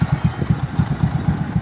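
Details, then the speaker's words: Kawasaki CT 125 single-cylinder motorcycle idling evenly with a low thump about eight times a second after repair with a new original cylinder block and seal; the earlier noise was not the connecting rod; normal idle. "oh maganda na uli yung andar niya Syempre bago eh"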